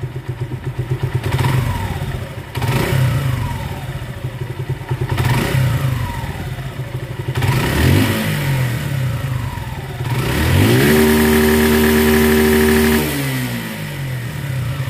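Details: Suzuki Gixxer single-cylinder after full engine rebuild (piston rings and gearbox installed) for an engine sound problem: blips up cleanly several times, holds a steady high rev, then drops back evenly; runs healthy.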